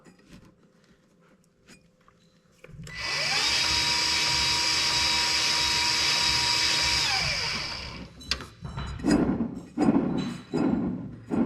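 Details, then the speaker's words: John Deere L130 riding mower deck idler pulley spun by hand after greasing the dry bearing with a needle greaser: steady high whir winding down, somewhat quieter but not perfect; a temporary fix before replacing the pulley. "not perfect but it's a quick fix if you don't want to put a pulley on right away it'll last a while longer than it would have if we just left it dry"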